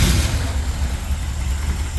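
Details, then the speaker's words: 1975 Corvette V8, new plug wires, first start, vacuum gauge fitted, carb being adjusted: a deep idle with a faintly uneven, loping pulse; timing close but slightly off, distributor needs moving; vacuum improves and the idle smooths as it is turned. "well I'd say close I need to move the distributor a little bit you'll see the vacuum get better there we go smooth it out too"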